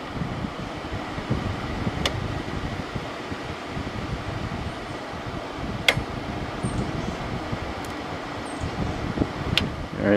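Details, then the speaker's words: 2001 General Electric Quiet Aire air conditioner, reassembled after fan motor bearing replacement, fan only before compressor on: smooth steady airflow hum, no rumble, grinding or squeal; bearings run quiet and healthy. "so this is from 2001 so let's turn it on i already know the fan bearing sound good yeah it sounds nice hmm"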